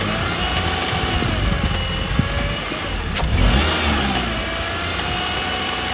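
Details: 2009 Honda Accord 2.4 revving up and down: a loose metallic rattle at lower rpm that thins out as revs rise. Cause not yet diagnosed.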